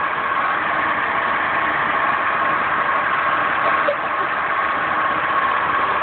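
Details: Steady idle with a faint constant high whine riding on top; accessory noise, possibly a bad water pump, but unconfirmed.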